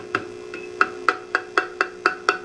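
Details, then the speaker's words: Old weak GE 12AX7 preamp tube, triode 2, on a microphonic tester: each tap brings a short ringing ping over steady hum; mildly microphonic, less than triode A. "Triode 2 does have some noise. You can hear it, but not as bad as side A, huh?"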